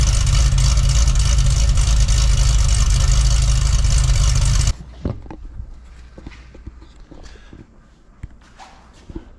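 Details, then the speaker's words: Cadillac CTS-V wagon V8 on factory mufflers with exhaust cutouts closed, cold start after a bank-two fuel trim code and suspected misfire: deep even rumble, no stumble or skip, then shutoff; running smooth. "I'll get you guys set up for a uh a stealth mode cold start it's pretty reasonable uh with the factory Mufflers"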